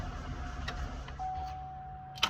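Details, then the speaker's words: Chevy LS V8 with 250,000 miles, just reassembled after intake manifold and valley cover work: steady mid-pitched whine over idle rumble; owner suspects bad idler pulley, which shows some play; idler pulley whine at idle. "Doesn't sound the best, but you know, it has 250,000 miles, so I'm guessing that noise is a bad idler pulley. I haven't really checked it out yet, but the pretty sure that's idler pulley."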